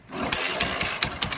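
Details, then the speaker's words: Hero Honda Splendor Plus motorcycle after full engine rebuild (camshaft, rocker, timing chain), oil drained: sharp regular knock about five per second over idle; blamed on play in the clutch housing, not crank bearing. "देखो sound आ रहा है यहां पे हल्का मैं race करूंगा तो जो साउंड आ रहा है वो इसका जो क्लच हाउसिंग है इस पे प्ले है इसलिए साउंड आ रहा है"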